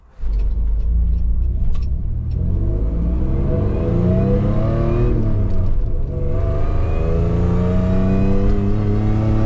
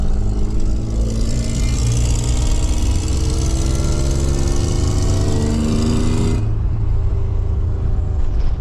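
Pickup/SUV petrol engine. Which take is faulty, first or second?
second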